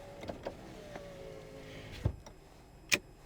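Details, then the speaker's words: 1995 Chevrolet Monte Carlo with the engine running, at the driver's door: a faint steady hum of the power window motor between switch clicks, with automatic down working. Power window operating normally. "there's the window controls and this one is automatic down"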